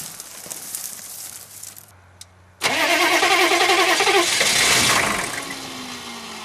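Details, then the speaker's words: GM 6.5 turbo diesel, first start after sitting about four to six years, low on coolant. Cranks and catches, runs rough and lumpy with an uneven pulse, owner doubts compression, then smooths within seconds. Rough running on start-up. "uh-oh that does not sound good it doesn't sound like it has [Music] compression that's not good"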